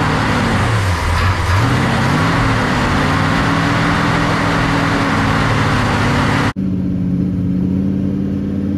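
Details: Freshly built Mopar big block V8 in a 1967 Dodge Coronet 500 convertible, after fixing valves not closing fully: deep burble climbs on a blip, then settles into an even steady run, no ticking or exhaust puffing; healthy.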